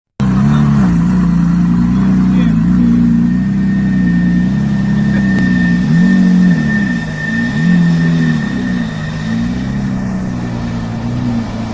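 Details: 2008 BMW X5 4.8 petrol V8 idling unevenly with a low lumpy wobble; misfire from failing cylinder 4 ignition coil, codes 2E27, 29D0, 29CC.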